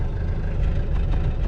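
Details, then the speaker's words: 1995 Mitsubishi Delica L400 4M40 diesel, 182,000 km, cold morning start with glow plugs off: rough, lumpy misfiring idle with smoke from unburned fuel due to one failed glow plug; miss clears as engine warms. "You can see here it started, fired up, and you can hear the misfiring. Yeah, it has a miss, and it's smoking."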